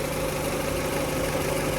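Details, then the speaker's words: Honda/Acura power steering pump at idle, after an 8-mile drive, following replacement of the reservoir-inlet and pump-hose o-rings that let air in: faint even hum, no whine, no froth in fluid; repaired. "okay just got back from an eight mile round trip pop the hood power steering pump does not have a wind to it which is phenomenal"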